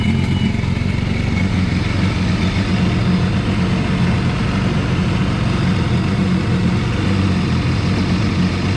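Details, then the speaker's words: 155hp Seadoo jetski engine swapped into an old sail boat, running after the fuel pump finally primed, which the owner suspects still needs replacing. Steady even two-stroke drone, no stumbling; sounds much better, normal running. "Oh, it does sound a lot better. Sounds much better."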